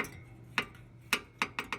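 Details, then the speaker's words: PTAC unit fan: sharp light ticks come quicker as the fan speeds up, one per turn. The owner thinks the blade is barely hitting a part and tries to shift it clear. Fan ticking. "think it's just hitting barely on that thing right there if I can just get that to scoot off or over"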